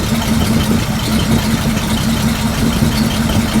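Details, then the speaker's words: 1941 Chrysler flathead six, run briefly without coolant to mix oil: lumpy, uneven idle with irregular low thumps and rocking; misfiring, two plug leads crossed in the firing order. "Wow. It doesn't sound bad. Let's give another shot. Yeah, it's it's rocking a little bit, but"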